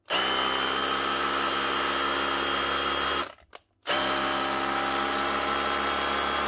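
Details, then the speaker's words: Bosch GBH 18V-26F 18 V SDS drill, repaired by cleaning and crimping a burnt connector and reassembling: a steady high motor whir that stops and restarts at the same even speed with no grinding or crackle, running normally. "that's her one Bosch gbh 18 V stroke 26f with a burn connector just cleaned up and Crump back together again"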